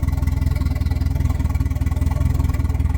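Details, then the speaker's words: 1992 Volvo 460 turbo just after first start following engine removal and manifold gasket change: deep slow even idle, a bit low but smooth and not hunting; owner suspects an ignition issue. "shirdles a bit low but she's running sounds relatively smooth she's not bobbing about"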